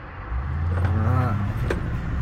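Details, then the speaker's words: Car engine after fresh Amsoil Signature Series 100% synthetic oil and filter, previously running a little rough: low, even rumble swelling as the car drives past, no roughness, knock or misfire; much smoother, normal running. "engine was running a little rough before and it sounds like it's running a lot smoother I love it"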